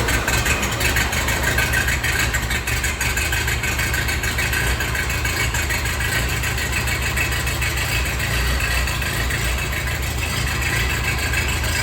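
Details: 1948 Ford 8N tractor, fully rebuilt engine with new carburetor still needing work, first run in neutral: even low putter, steady beat, no miss, knock or hunting; normal idle.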